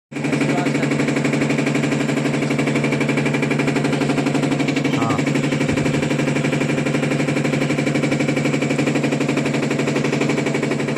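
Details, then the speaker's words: Panasonic top-load washing machine during spin: fast, even rattling knock about four a second. The technician suspects a loose pulsator nut. "हां अब दोस्तों इसको हम check करते हैं इसके अंदर जो आवाज आ रही है मेरे हिसाब से इसका नट नट में समस्या है"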